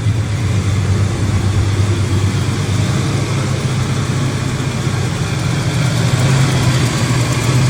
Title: Exhaust leak fixed